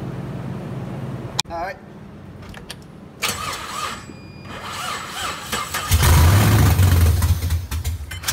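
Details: Camaro with multiple misfiring cylinders, injectors pulled on one side to check spray: starter spins the engine steadily, about 2.5 turns a second, never fires; cranking no-start.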